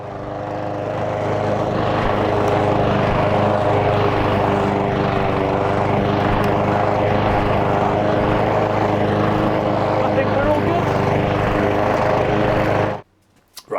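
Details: Cobra Model 350 petrol lawn mower (40CDYM1663F) after carburettor cleaning and governor arm/idle speed adjustment: small petrol engine holds a steady, even drone at constant speed with no hunting or surging, then cuts off cleanly; normal running.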